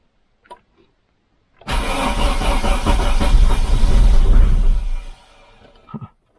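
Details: Diesel Opel Ascona that would not crank, after tightening a loose ground bolt on the body: starter spins the engine steadily at about four turns a second for three seconds, engine trying to catch; cranking restored.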